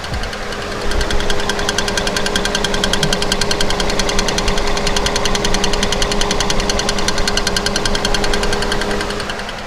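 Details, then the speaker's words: 2013 Kia Forte EX after engine swap, idling on a lift with the mic placed underneath at the tick: sharp metallic ticking about three times a second; loose flexplate because one torque converter bolt was left out. "that's exactly where that kick is coming from it's because we did not put the other torque converter bolt in"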